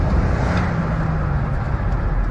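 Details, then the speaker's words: 2005 BMW X5 3.0i after a cylinder 3 misfire and lean-code repair: steady, even idle with a smooth low drone and no roughness, stumble or misfire. The engine runs normally. "That's what German engineering supposed to sound like."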